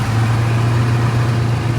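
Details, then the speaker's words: 1973 AMC Hornet after vacuum repairs, warming up before timing is set: loud low drone with an uneven, lumpy beat at idle, stalling when the throttle is released; better than before. "so cranky cranky I've let off the throttle she stalled on us a few times just like [Music] that but it's better than it was"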